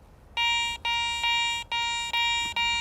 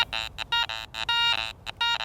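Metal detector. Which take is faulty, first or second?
second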